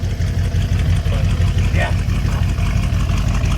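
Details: Deep, even low burble at idle with steady exhaust pulses about three per second and no knocks or misses; a 460 V8, said to be 365 hp, idling healthy.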